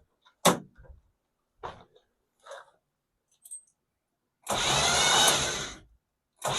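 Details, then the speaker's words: 1977 El Camino after sitting 10 years, plugs out, spinning over: a few short clicks then a high, smooth whir with no cranking beat; starter possibly hanging up, not confirmed. "Sounds like maybe the starter's hanging up or something. I'm not 100% sure, but what do you guys think?"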